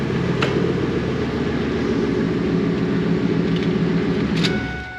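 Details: Ford F250 5.4 Triton with GT45 turbo, custom up-pipe and exhaust manifolds, first start, exhaust open straight out of the turbo: steady deep even idle rumble with soft hiss, no knocks or rattles, quieter than expected. Normal idle.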